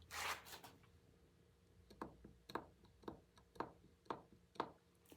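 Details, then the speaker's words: Sharp clacks about twice a second as the part is rocked by hand: worn bearings with about 15 thousandths of an inch play rattling. "you can even hear that rattle I want to shut the door on the uh store room the refrigerator just kicked in on me I'm hoping you can hear that noise that's 15,000 if I turn it a bearing should not rattle like"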